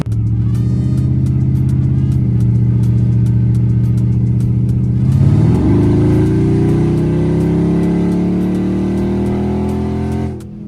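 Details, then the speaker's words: Chrysler 300C 5.7 Hemi with long-tube headers, after a fix for missing driver-side header bolts that caused a terrible clunking: a deep, even V8 growl rising smoothly through the revs with no ticking or puffing; a normal exhaust note. "Um but as of right now it's not clunking around like how it used to be. Like it's not doing that no more. Now it has its depth back like that deep"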